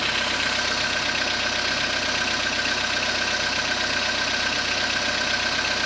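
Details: Skoda Rapid 2014, CFNA 1.6 petrol, 27,630 km, cold start after overnight parking at −0.5 °C: steady cold idle with light regular tapping about four per second; engine knock of unknown cause.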